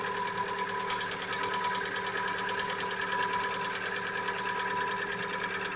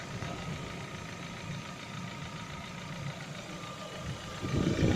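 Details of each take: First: Lada Vesta, 70,000 km, cold-start idle: a steady, rapid ticking knock of about three beats a second for one to two minutes, then it quiets. Owner says piston knock, not hydraulic lifters; appeared recently, cause unclear. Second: Lada Vesta with 70,000 km, warm idle, oil changed to 5W-40: it idles evenly and steadily with no ticking or belt rustle, picking up slightly near the end. It has a cold-start piston knock, not hydraulic lifters.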